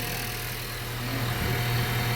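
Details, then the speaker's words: 2014 Honda Vezel hybrid after release bearing service (bearing greased, two seals replaced), gearbox robot calibration and throttle learning: a smooth, even idle with no whine or rumble; the bearing is inaudible. Normal idle. "вообще тихенько работает клапана у него что-то посёлки выю да"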